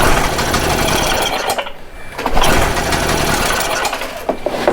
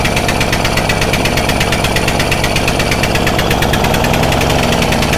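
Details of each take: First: Stihl Magnum BR800 two-stroke blower that owner says doesn't run right, cranked with choke off at full throttle: ragged, uneven bursts and dropouts that never settle into a steady run, sputtering on start. Mechanic thinks it may have been flooded. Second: Stihl Magnum BR800 two-stroke blower at full throttle with choke off, after the high-speed needle is turned in slightly: loud, steady, high-revving buzz held flat out without surging or cutting out. Pulls clean and runs normally.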